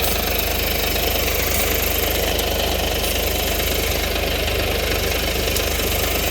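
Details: 2014 Mercedes-Benz after an exhaust recall was performed, with smoke emission: even idle with a quick, regular puffing tick, roughly three a second, riding over the engine note; an exhaust leak.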